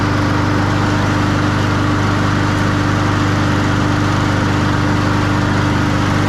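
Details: Honda walk-behind push mower, oil warm from an earlier run, before its spring oil change, running on old-smelling gasoline: steady, even single-cylinder putter at constant speed with no misses or knocks; running normally.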